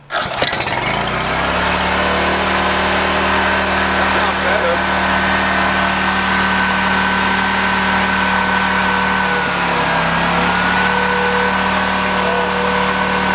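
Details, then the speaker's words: Husky 3650 generator bought for $50, governor spring removed; starts and runs at a loud, flat, high-revving drone that never settles; governor pulling throttle wide open, misadjusted, engine overspeeding. "you want one spring you want to pull it down so when you when the governor gets a load on it it pulls against the spring right now it's just pulling it open wide open so but something's not right"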